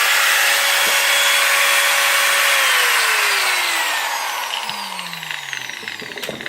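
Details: Makita 9565CVR 1400W 125 mm variable-speed angle grinder after new armature fitted and brushes refitted: smooth steady high whine at full speed, even falling pitch coasting down, no rattle or scraping; normal running, original fault was armature.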